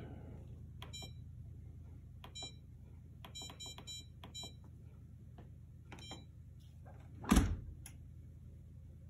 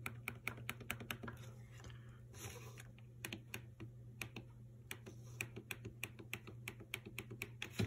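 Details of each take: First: Maytag MDB8959SFH dishwasher after repair of the collapsing right-side start button (broken plastic support replaced with homemade wood support): a few short, crisp electronic beeps over low room hum; start button responds, control board working normally. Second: Maytag dishwasher MBD8959SFH with the right side of the control panel sunk in: small sharp clicks over a low hum when the panel is pressed. The start switch works, but its plastic support has broken, so the start button collapses. Failed switch support.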